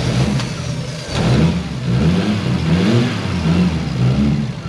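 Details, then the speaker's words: Mk3 Toyota Supra running on a new trigger kit and exhaust after computer tuning: strong deep engine note climbing and settling with clean, even revs, no stumble or knock; much better than before, runs smooth and healthy. "oh that was so much better that sounded sounded so much better"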